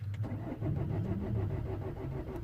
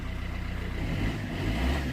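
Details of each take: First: 2008 Vauxhall Corsa 1.3 CDTi (Z13DTH) diesel with intermittent no-start and no fault codes, ran two minutes earlier: short burst of uneven, low starter chugging with no catch; cranks but won't fire, airflow sensor reading zero. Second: 2008 Vauxhall Corsa 1.3 CDTi (Z13DTH) diesel after the intermittent no-start was fixed with no parts and the injectors were reconnected: an even, low clatter at idle, then a light smooth rise in revs. No misses; normal.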